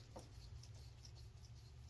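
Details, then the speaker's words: Brand-new rear wheel bearing for a 2010 Mercury Milan (same as Ford Fusion), spun by hand: almost silent, just a low murmur and faint light scratching, no hum or grind, unlike the humming old bearing it replaces. "no noise completely silent"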